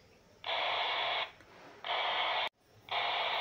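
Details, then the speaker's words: RigExpert AA-230 Zoom BLE SWR2AIR feature heard on a handheld radio tuned to 145.150 MHz: mid-pitched tone bursts about 0.8 s long repeat every ~1.2 s, indicating an antenna SWR of about 4:1; burst pitch rises as SWR nears 1. "you can hear the burst of audio code that is being sent by the r expert the frequency of this audio code is dependent on the S SWR"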